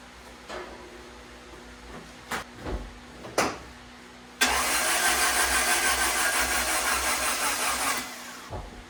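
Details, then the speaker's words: Turbo Honda Integra, first start of the year after an oil change, battery just reconnected from a trickle charger: a few clicks, then about 3.5 seconds of laboring, slow, weak cranking; the battery is suspected, not confirmed. "Apparently my battery doesn't like that too much."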